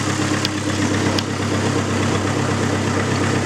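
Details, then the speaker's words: Neon SRT4 after new clutch install, warming up while checking for vacuum leaks: steady, even idle with smooth low rumble, no knocks or misses; normal idle. "let me check and see if there's any leaks sounds good to me"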